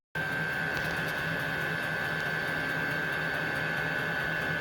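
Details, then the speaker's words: Vevor 8 kW diesel heater with cast radiator waste-heat recovery, ramping up after priming: even fan whir with a steady high whistle, later traced to the filter intake; normal start-up, quieter once running. "She's ramping up. I noticed before when I did a little filming yesterday, this sounds louder than it really is. Once it gets going, it even gets a little quieter, so it's not that bad."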